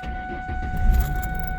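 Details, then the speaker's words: 2004 Ford Mustang with a no-crank rapid-click fault, after corroded battery posts and terminals were cleaned, tightened and coated: short crank catches at once into a steady low rumble; starts cleanly and runs normally. "all right started just fine so uh that's how you fix the no start situation when you have a rapid click on an o4 mustang"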